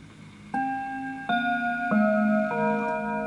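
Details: Antique Enfield Westminster-chime mantle clock, fully wound, chime checked before sale: four clear bell notes ring evenly about two-thirds of a second apart, sustaining cleanly; the quarter-hour chime works properly.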